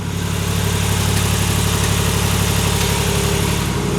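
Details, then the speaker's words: 2019 Ram 1500 Hemi V8 at idle after broken headers were replaced with BD Diesel exhaust manifolds, fixing a bad exhaust leak. The idle is steady and even, with only a normal light injector tick and no exhaust ticking. "Just injector tick, which is [Music] normal. Nice and quiet. the way it's supposed to be."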